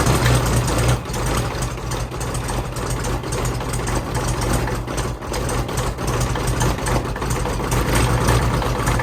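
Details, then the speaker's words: Mid-1980s Kubota B7200 3-cylinder diesel subcompact tractor, cold start at about 15°F with no fuel additive: loud, uneven idle with busy clattering tick around four per second; cold diesel clatter expected to fade once warm. "Old diesels are pretty noisy whenever they first start up in cold weather, like the clatter."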